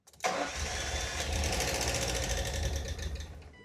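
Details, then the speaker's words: 1988 Ford Escort with refurbished Bosch K-Jetronic metering head and fresh fuel: catches strongly after a brief crank, runs a few uneven seconds, then fades and dies completely, possibly not enough fuel. "Ah! It sounds strong and then it dies completely."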